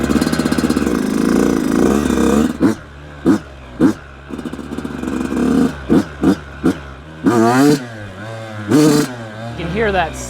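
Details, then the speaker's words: Brand-new 2026 Yamaha YZ85 two-stroke on 32:1 premix that fouls plugs, drips oil from the silencer and smokes. Throttle blips stutter and burble as it loads up, a rich-jetting sputter needing air screw and pilot jet changes. "Oh boy. You can hear that sputtering."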